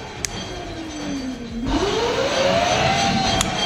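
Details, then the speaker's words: Chinese 3000 W electric motor and controller freshly wired into a Chinese Jeep UTV electric conversion, gas pedal pressed with brakes audible; speed switch cycled low, middle, top: clean whine drops then climbs smoothly to higher steady pitch, no grinding, motor runs normally. "speed switch is working"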